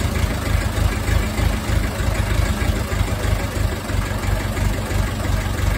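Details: Ferguson TEF20 diesel tractor that sat over 10 years, running again after air was bled from the fuel system; steady, even chug at about three beats a second with no misses or knocks: normal idle.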